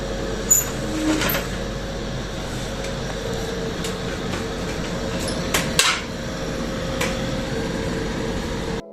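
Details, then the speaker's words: Split AC indoor unit fan running: steady, rough whirring hum with a droning tone; extra noise from the indoor fan motor, which requires removing the fan motor. "Indoor इकाई पंखे की motor अतिरिक्त से शोर।"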